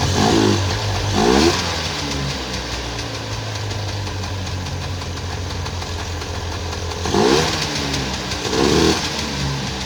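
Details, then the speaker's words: 1994 Polaris two-stroke 4x4 quad, long sitting, running after battery charge and starting fluid; steady buzzing idle with a couple of sharp throttle blips, quite smoky; running fine. "right on well there we go um that was pretty easy that's great I'm thrilled with that quite Smokey"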